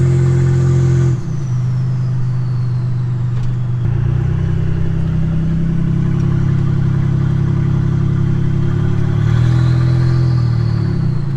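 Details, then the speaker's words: Nissan 300ZX turbo driven with no exhaust fitted: a very loud, raw roar under hard acceleration into boost, then a turbo whistle spools down as the throttle closes. It needs an exhaust fitted. "We definitely need to put an exhaust on so we can enjoy driving this thing more."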